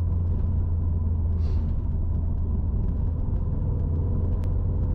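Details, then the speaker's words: 2008-on Subaru STI (GR/VA) after fixing the fuel stumble, in Sport accelerating through 3000 rpm; low, steady engine rumble under road noise with no surging or stutter between 2500 and 3000 rpm, pulling smoothly. "that was sport but no no stutter between 2 500 and 3 000 which is what we're looking for it pulls smooth feels pretty"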